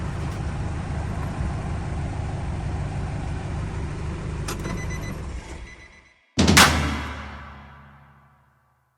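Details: Nissan Frontier after alternator repair and fix of alternator belt noise: steady even engine rumble for several seconds with no belt squeal or chirp, then shutdown; running normally, battery light off.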